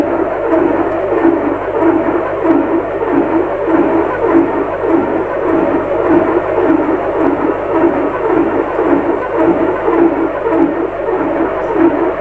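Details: Lux Royal WH 1093i washing machine spinning: steady hum with rhythmic rub-and-knock about 102 times a minute; cracked, corroded drum spider pulled the inner drum forward against the door gasket, bearings fine; fixed by replacing inner drum, spider and shaft.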